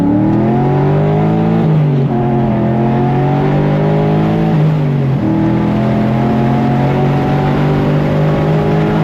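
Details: LS V8-swapped Infiniti G35, run hard after 2–3 weeks parked: strong, clean pull through the revs with crisp upshifts and no misses or knocks. Fuel trims and oil pressure are good at wide open throttle. Healthy engine.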